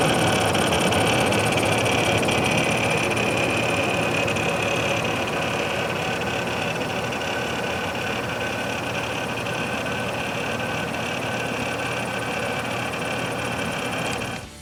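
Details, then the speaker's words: Defective Corsair H100 liquid CPU cooler: dense, rough whirring with a fast rattle from the pump and a steady high whine from one fan with a grinding bearing; the pump's fan controller also didn't respond. "the problems I encountered with first unit were first the pump rattling noise then one of the fans was making a grinding noise"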